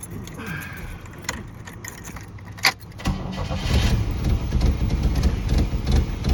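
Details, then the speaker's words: 1986 Pontiac Fiero, ignition tune-up, restarted after reassembly; the owner questions whether a distributor rotor that seized in place was wrong or badly made. It fires and runs lumpy, stumbling and sputtering without settling. Rough running after start, cause unconfirmed. "I don't want it to sound like that. Definitely doing more than what it was."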